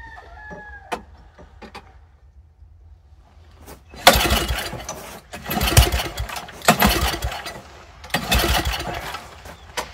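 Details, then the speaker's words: Old Toro snowblower that sat over a year, fuel turned back on with carburetor dripping: short pull-start bursts sputter and die within a second, possibly flooded, fuel pouring out, no bowl gasket; fires but won't keep running. "It acted like it wanted to run there for a second, didn't it? Huh. We're just pouring fuel out."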